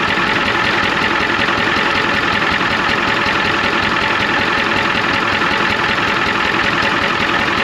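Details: 1993 Ford F250 IDI diesel at idle, injector line popped to find the problem cylinder: loud uneven clatter with irregular knock about two per second; one injector found super loose and squirting fluid back out.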